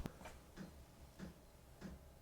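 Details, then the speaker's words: New diesel heater on its lowest setting after 11.5 minutes of running; sharp, evenly spaced ticks about every 0.6 s over a low fan hum; fuel pump is the loudest part; normal dosing pump ticking. "from a a noise point of view you can't really hear the the fan or the the combustion it's the fuel pump that's the noise noisy thing"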